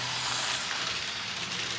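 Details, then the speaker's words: Lima Class 37 model locomotive running quickly with power nearly full: steady shrill screaming whine from the motor, harsher than it should be; cause not known. "I know the class 37s in real life a nicknames tractors cuz they make such a good noise but I don't think this noise is supposed to be"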